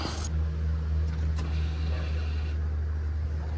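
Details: OBS Ford F-150 after fuel pump replacement from top with bed removed: fires up and runs with low steady drone, no misses or knocks; new pump primes and truck runs normally.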